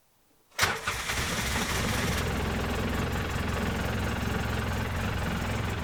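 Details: Polaris Ranger XP after repairing a no-crank fault: a shoddy previous-owner brake pressure sensor bypass jumper was replaced with a soldered permanent bypass. Quick crank catches at once into an even, steady idle with no misses or knocks.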